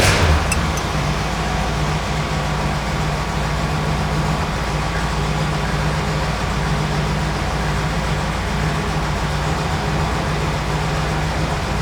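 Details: 1967 Plymouth GTX 440 Mopar V8 with 727 Torqueflite automatic and dual exhaust: catches immediately and holds a steady, even lope without stumbles, ticks or knocks; healthy idle.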